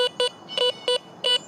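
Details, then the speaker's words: Garrett Vortex VX9 metal detector in standard multi-frequency over a bottle cap, reading about 60–65: five short mid-pitched beeps, uneven in length and spacing, slightly broken tone; bottle cap target signal. "And I see and hear just a little bit of brokenness to it. But that is something I would normally want to investigate."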